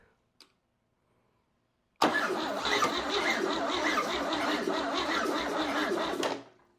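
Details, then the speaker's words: Chevy 235 inline-6 from a 1961 Apache, sold as recently rebuilt, first start: about four seconds steady cranking, a bit more kick but never catches; distributor timing found 180 degrees out. "That one sounded more promising. Had a little bit more kick to it."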